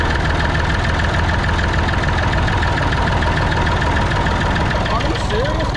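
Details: Massey Ferguson 245 three-cylinder diesel tractor, just started after sitting 12-15 years outside untouched: steady even diesel clatter at idle, no misses or knocks; normal diesel idle.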